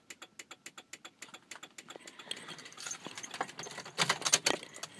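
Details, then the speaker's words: 2003 Honda Element intermittent no-start with gauges dead: turning the key gives sharp, even clicks about five per second from the passenger side with no cranking, then rattling; relay chattering, smacking the dash restores it, poor connection suspected. "okay i just tried starting the car you can hear click coming from there"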